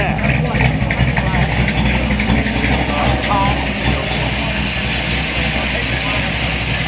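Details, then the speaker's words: All-original 1962½ Ford Galaxie 500 XL convertible, 406 V8 with three two-barrel carbs, started up: deep, lumpy V8 rumble rises on throttle and drops back to a steady, strong idle, no knocks or rattles; sounds healthy. "oh man now that sounds good oh Luke wasn't joking was he you know most of these cars don't sound that good"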